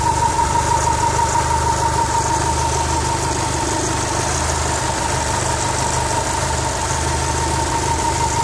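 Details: 4G63 engine in a 2G AWD DSM at idle: fast, fairly regular ticking about three per second over the steady run, seeming to come mostly from the turbo area; unusual engine noise, source unclear.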